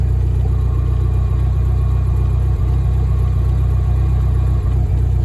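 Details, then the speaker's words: VW-engined Deserter GT dune buggy idling with clutch pedal pressed: a faint constant hum over the low rumble from a bad throwout bearing, reused with the old clutch; it is replaced along with pressure plate and disc. "So you can hear that bearing just kind of humming away."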